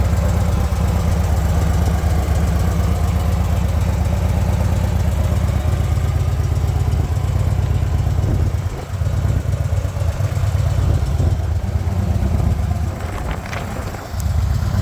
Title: First run up after rebuild FXDF Fat Bob